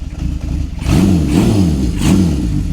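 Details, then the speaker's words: Honda CB750 four-cylinder, four carburetors, cold start on choke: uneven idle then blipped revs rising and sagging, only running with throttle held; rough cold running needing revs, cause unconfirmed. "my bike likes to be reved out when it's cold and let's get onto the road"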